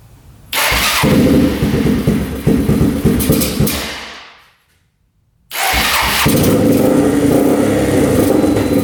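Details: Rough 4x4 ATV sitting for years, first start after siphoning old gas: single fires, runs choked, fades and dies within seconds before restarting; sputters and dies off choke; owner suspects not enough fuel, fuel screw to go out.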